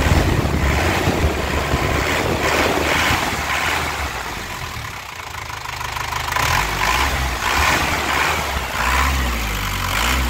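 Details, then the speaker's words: 1998 Isuzu Panther Grand Royal diesel, 27 years old, new battery, throttle blipped: smooth rise and fall with even crisp clatter, no knocks, misfires or odd noises; engine calm, not rough, no smoke. "Ini suaranya renyah. Ya, suara nyernah khas penter enak di telinga, tidak ada suara yang aneh. Terus mesinnya juga tenang, tidak oblak ya, tidak pincang mesinnya."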